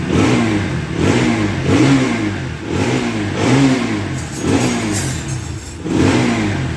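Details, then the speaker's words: Bajaj Pulsar NS200 after replacing the starter clutch one-way and changing the engine oil. It now self-starts easily, and revs rise and fall cleanly without the earlier starter noise. "చూడండి friends ఇంతకు ముందు లాగా sound గాని problem గాని లేదు"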